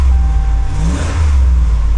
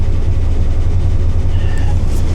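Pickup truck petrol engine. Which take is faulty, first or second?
second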